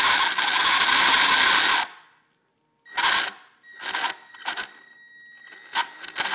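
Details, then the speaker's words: Traxxas Slash RC truck, two weeks old, on battery: loud, harsh high-pitched grinding roar for about two seconds, then handling clicks; motor shaft wobbles and catches when turned by hand; owner suspects blown motor or bearing; it later smoked. "und and that's what makes me think a motor or a aing is blown um and when you turn it you can feel it not turning around smoothly it just it kind of catches and grinds"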